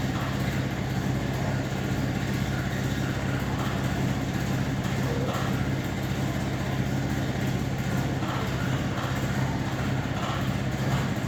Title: Trade-Wind exhaust fan with bad bearings